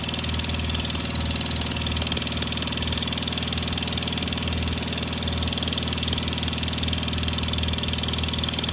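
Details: Cub Cadet Cyclops mower with Kohler 18 twin: steady, noisy chuffing with a hissy edge at idle; electric clutch bearing suspected first, then diagnosed as a blown head gasket on one side, to be replaced.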